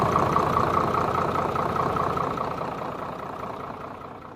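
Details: Hino J08C diesel engine after repair and full reassembly, idling with an even, regular beat of about two and a half per second that fades away smoothly; normal idle.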